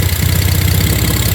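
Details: BMW E46 six-cylinder with a coolant leak (owner suspects hose through the head) idling lumpy with an irregular stumble; owner plans to replace injectors and idle air control valve, misfire cause not confirmed.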